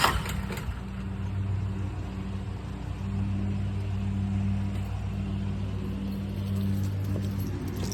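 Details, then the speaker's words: Westinghouse 20,000-watt portable generator, new out of box: steady low cranking drone without catching, control blinking red; no fuel reaching the engine. "We're going to have to prime it. Let's just see what happens. So, it didn't go through."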